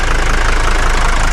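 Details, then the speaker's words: 1981 Mercedes 300GD diesel with glow plugs, revived after 6 years parked, started first try and idles with even clatter and a steady low pulse, no misses or stumbles. Judged perfect: normal idle. "¿Va bien o no va bien? Es que suena a glorias, mira. Pero perfecto."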